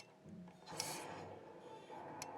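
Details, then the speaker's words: Rheem indoor water heater with forced-draft exhaust blower, error code pressure switch stayed open too long; mic close to the blower pressure switch as air is blown into it: faint click over a second late, diaphragm hanging up, bad pressure switch. "see you hear the delay there if i suck on it it opens and closes that pressure switch is hanging up inside so it's most definitely a bad pressure switch"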